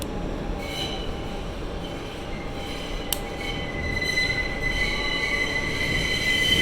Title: The Abhorrent Screeching Noise that is this Tunnel